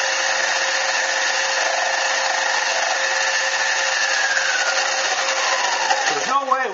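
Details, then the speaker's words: Lathe truing the centre bore of a T6 aluminium air-gun muzzle brake: a steady cutting whine with a rough, buzzing edge as the tool catches only the high spots each turn; tool chatter on an interrupted cut. "I may end up having to back it off a little bit if it gets any worse you actually hear the chatter that's just catching the high"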